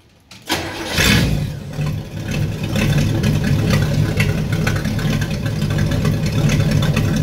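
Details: 1964 Chevrolet Impala 283 V8 needing a tune-up, muffler cut out after transport damage: cranks, fires and settles into a loud, raw, uneven V8 rumble on open exhaust manifolds, essentially single exhaust with no muffling.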